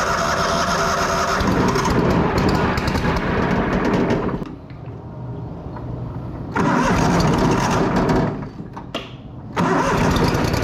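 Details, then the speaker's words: Miller Bobcat 225NT welder/generator with older Kohler engine, after fixing automatic idle (new idle module): engine cycles cleanly between loud high idle and quieter low idle as intended. "so hopefully you should be able to hear it well yeah you you should be able to hear the motor idle up and down"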